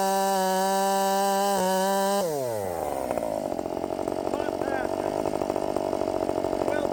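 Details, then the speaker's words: Redmax 5000 chainsaw with 16-in bar, freshly sharpened .325 steel RS chain, after wide-open exhaust port muffler mod, in the cut: high scream drops as chain bites then holds strong even buzz without bogging, feels blazing fast. "damn it this thing feels fast now I mean blazing fast uh yes I think we did it I think I think we did it that thing is just hauling ass"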